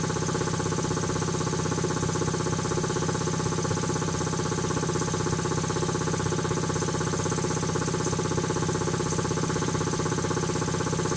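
Steady, even thumping at about four beats a second with no knocks or rattles; a healthy two-stage compressor running smoothly.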